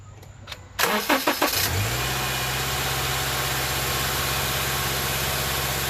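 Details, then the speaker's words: 2013 Subaru Outback 2.5L starting after serpentine belt replacement: brief crank, then steady even idle with no belt squeal; some exhaust leak noted; normal start and idle. "There you go. It's all good."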